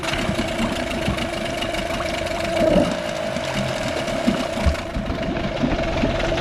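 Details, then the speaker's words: Circa-1998 8 HP Nissan two-stroke outboard, bought cheap after sitting on a farm and given a new impeller, running on premixed fuel: catches and settles into a fast, slightly uneven putter with splashing water, holding idle with good water flow. "Still idling. I'm just going to keep letting it go. I got like an quarter of a gallon in there. I'm going to let it idle away."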